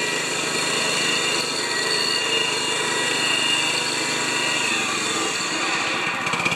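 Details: 196cc single-cylinder plate compactor engine, found overfilled with oil and refilled, buzzing steadily at full throttle. A high, even note with no misses or knocks: normal running.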